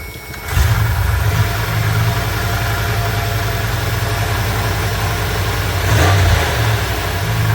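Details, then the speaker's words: 1984 Ford E150 Econoline camper van running off a boat fuel tank, given a couple of pedal pumps: a brief crank, then it catches and settles into a steady, even idle with one small throttle blip, starting and running fine. "anyway see how easy this thing starts now let's just crank it with no pedal yep got to give a couple pumps"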